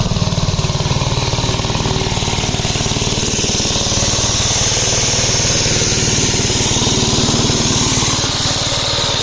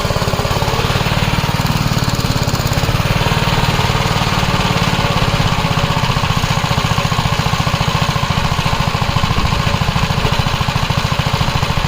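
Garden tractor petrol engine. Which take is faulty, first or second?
first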